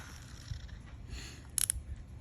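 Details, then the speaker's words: TSURINOYA Spirit Fox 50R/50HR baitcasting reel, new out of box: two quick bursts of sharp, crisp, evenly spaced clicks as the spool tension knob turns; normal, precise tension knob clicks. "Listen how loud that thing clicks. That's very precise."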